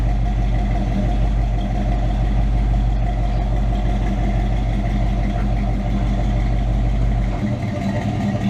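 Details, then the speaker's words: Chevrolet K10 truck, freshly tuned and dialed in, project with lift kit: deep even rumble holding steady several seconds, no misses, taps or knocks; smooth healthy normal running. "personally I think it sounds good we got it tuned in got all dialed up I think it's good"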